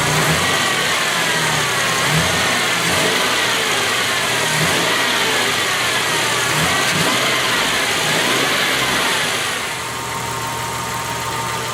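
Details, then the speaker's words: 1996 Dodge Dakota, 3.9L Magnum V6, after replacing the defective serpentine belt tensioner: engine starts and revs up and down cleanly with no squeal, chirp or rattle from the belt; running good again. "folks you can see it's running good again"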